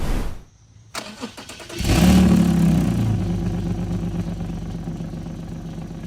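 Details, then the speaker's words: 2015 Infiniti Q50 3.7 V6 before midpipe swap: starts with loud blat, deep raspy idle; massive exhaust leak from frayed barbed flex section on Y-pipe, replaced with new Y-pipe and resonator. "uh the the little barbed part right there on the Ypipe is frayed. And so that [ __ ] causes it to have a massive exhaust leak."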